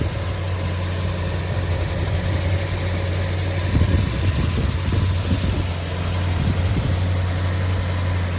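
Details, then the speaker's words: 1991 Peugeot 205 GTi 1.9 at warm idle; a whine after about 30 seconds from startup, suspected fuel pump under the car, is not heard under the bonnet; steady smooth deep hum, no knocks or misses, healthy. "But if I shut up a minute, you can't hear the whining under the bonnet."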